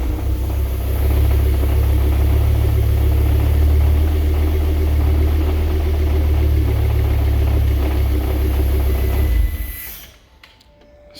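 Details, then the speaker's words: Diesel idling with a steady low rattle of about four beats a second that dies with the engine, during engine rebuild testing; owner believes the dual mass flywheel is at fault, transmission to be removed to confirm. "sound and i believe that like i said it's on the dual mass flywheel"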